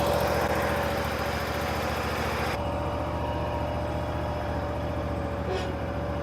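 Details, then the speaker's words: Bobcat Predator Pro zero-turn with Generac engine, earlier bogging in tall grass, in hot weather, at wide-open throttle with full forward drive load: steady drone with a momentary dip that quickly recovers; normal governor response. "I went wide open throttle and I was trying to give it a load. Basically, I was giving it um full forward and you heard the motor just bogg down for just a split second"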